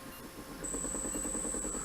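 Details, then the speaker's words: Motor for a Harbor Freight 44142 mill/lathe 3-phase conversion, bench-tested after new bearings, high steady whine with fast rattle about ten beats a second; shaft rocks, likely bearings loose in one or both bell housings, not imbalance. "if you can hear that there's some rock in the shaft I know it's not between the shaft and the bearings cuz I had to push those on in Oregon them in place so it's the bearings to one or both the Bell housings"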